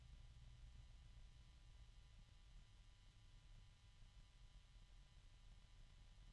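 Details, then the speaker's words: 1,350 RPM PC case fan (bought as a 2000 RPM model) on a fan controller near its lowest speed: faint even hush with occasional slight clicking and low-pitched harmonic resonance; runs smoothly and quietly. "okay so that's pretty close to the lowest speed I can get it and there's very little noise I hear a little clicking every once in a while here's some harmonic resonance and again fairly low pitch"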